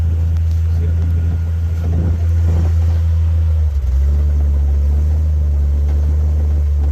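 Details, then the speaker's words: Jeep XJ crawling slowly off-road in snow: dull irregular thumps under a low steady engine rumble as the exhaust bounces on the underbody from a broken hanger. "if y'all can hear that thumping that is uh nothing to be nervous about that's just the exhaust bouncing on the bottom we got a hanger broke"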